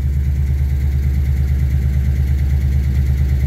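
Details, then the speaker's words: V8 Ford Ranger after fuel system upgrade (Walbro 255 pump, fixed kinked feed line, regulator change) and new tune with updated injector size, just started: deep smooth burble, dead steady with no ticks or misfires; running good. "it's running good it's running real good I like it"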